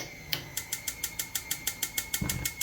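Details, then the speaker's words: Jenn-Air CVG4380 six-burner gas cooktop, final test after replacing a failed igniter: crisp, evenly spaced ticking about six clicks a second, then a soft whoosh as the burner catches; the new igniter sparks normally. "There it is. Working perfectly."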